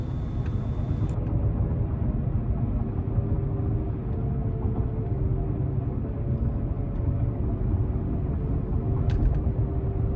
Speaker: if you listen carefully over here that humming noise that's when you know it's time to replace your wheel bearings